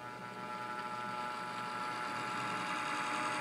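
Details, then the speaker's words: Model Class 66 locomotive pulling away: loud, rising whirring whine with a gritty edge while the ammeter reads normally. The motor, already stripped down once, makes this horrible noise; worn motor. "so it's working and the amp meter is not going mad but there is a problem with the motor sounds like and believe me I've um I've taken the motor out I've already stripped this one down discovered that the motor is making this horrible noise"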